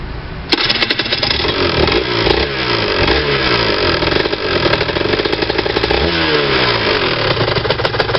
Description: Rs 125 clinking noise, if drive low speed 30 km 4-5th gear does not rattle.